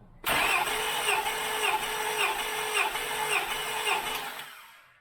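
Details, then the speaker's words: 2000 Acura 3.2 TL, J32A1 V6 at 623,264 miles, original valves, heads never off, cold engine, compression test cylinder 3 at wide open throttle before timing belt job: even cranking about two beats a second, no hesitation; reads 190 psi, normal. "And what do we get? 190. So that's good."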